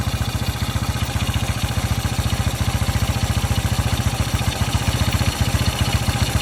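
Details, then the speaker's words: 1981 Yamaha SR185 after replacing the TCI with an Ignitech unit, which cured weak spark, sputter, bog and backfire: started with the choke off, it holds an even, brisk, steady single-cylinder idle, higher than ever before at start, with no misses. "Trying to fire it up this time. Choke is off. Never ran that high at an idle at start."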